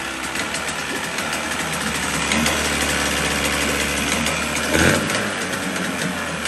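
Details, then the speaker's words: 1977 Evinrude 35 hp two-cylinder two-stroke outboard, ignition timing set manually, runs: busy, slightly uneven burble that holds idle mostly without stalling. It hasn't been tested under load; the telltale shows little water. "but the fact that it starts it runs it holds a good Idol mostly"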